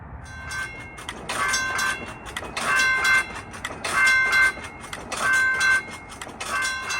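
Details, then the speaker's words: Model 3590 gate mechanism with hold-clear device prevented from closing: crossing bells swell and drop in bursts about every second and a half as the arm keeps oscillating/pumping; hold-clear not latching. "After I did this, the SafeTran light on the right side ended up shifting over a little bit, and that will happen especially over a long period of time if a gate is left oscillating or pumping like this."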